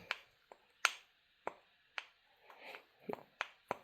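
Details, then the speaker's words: Fordson Major tractor engine torn down after spun main bearings and a plugged pickup tube: number one connecting rod and piston rocked by hand give sharp, uneven metallic clicks from a worn wrist pin with play; the rod bearing is heavily worn and the rings show blow-by. "you can hear that, it's got some play."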